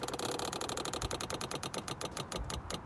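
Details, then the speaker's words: 2013 Ford Focus MK3 1.6 TDCi: a battery-powered pressure bleeder pump bleeds the clutch after a clutch, flywheel and slave cylinder replacement. Rapid, even clicking, about ten per second, while it builds pressure normally before the valve is released. "that's just pushing it through wait until that stops clicking and then we can go ahead and release this valve"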